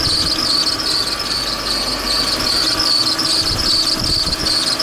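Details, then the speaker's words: Audi V8, before repair: loud, steady high-pitched squeal over the idle; ribbed-belt tensioner built into the cover isn't holding tension, so the belt slips; fixed by disassembling the tensioner. "В натяжителе ремня. Ремень просто не натягивается, поэтому он проскальзывает и создает такой звук просто отвратительный."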